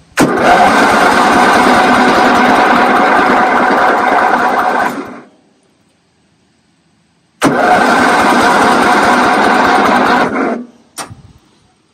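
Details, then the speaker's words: Toro 8-32 riding lawn mower, engine refitted, fuel on, safety interlocks bypassed to crank: two long cranking bursts, starter spinning fast and even with no firing; compression only about 55–60 PSI and carburetor pouring fuel. "okay I don't know if I had the camera on but compression was about 60 55 PSI which is still pretty low"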